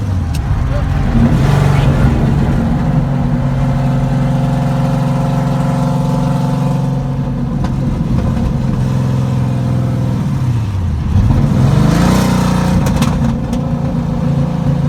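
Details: Second-gen Chevrolet Camaro with ZZ430 V8, first drive after finding and repairing a misfire; engine pulls smoothly through the revs, eases off, climbs again, firing cleanly with no stumble; normal acceleration.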